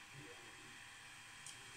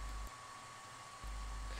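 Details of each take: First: Ender 3 3D printer with a BTT SKR mini E3 board; the power supply and mainboard fans run in smart mode holding 30°C, just after starting a print with a 60°C bed and 200°C nozzle. A soft, steady hiss from the fans, running quietly and normally. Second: Creality Ender 3 3D printer with BigTreeTech SKR Mini E3 board and quiet stepper drivers; power supply, mainboard and heat-break fans all run at full speed constantly, a steady airy roar with high tone that dominates the otherwise quiet printer.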